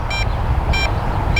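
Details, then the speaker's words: MJX Bugs 8 entry-level 250 FPV race drone climbing straight up: controller gives three short high beeps about 0.6 s apart over wind rumble, its low-signal range warning. "So the controller will beep on low signal, so I'm going to bring it on down."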